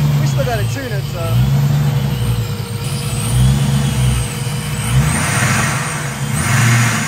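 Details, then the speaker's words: Vortech-supercharged engine, first startup after the blower install: a deep idle that rises and falls every second or two instead of holding steady, with a lot of air being pushed out; a mild idle surge that still needs tuning. "i was pushing a lot of air out a little bit of a surge to fix"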